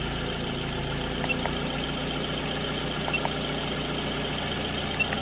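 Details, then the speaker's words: 2006 Scion tC after alternator replacement, battery 98% charged: smooth settled idle, even low hum, few faint ticks; charging just over 14 volts running, a big improvement. Normal idle. "We're up over just over 14 volts with it running. So that's a big improvement."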